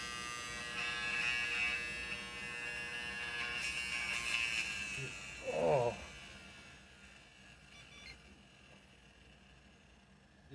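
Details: 8TB Seagate internal hard drive, boot drive, failed unexpectedly: loud harsh razor-like buzz with steady high whine droning for seconds; mechanical failure, data not recoverable.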